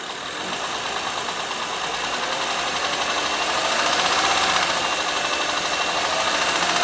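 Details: Honda Pilot 2 engine at steady idle, heard both hot and cold: light, regular ticking knock about four per second; engine knock, source not yet pinned down.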